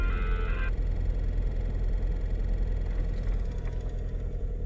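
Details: 2017 Jeep Cherokee KL: heavy, steady, very deep roar with no rhythm, the cooling fans running loud.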